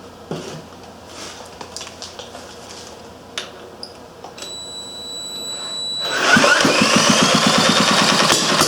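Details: Briggs & Stratton Model A engine number three, oil pan cleaned, fresh oil added and primed with a squirt of fuel; quiet fiddling, then it catches at about six seconds and settles into a quick, even popping beat. Normal start and running.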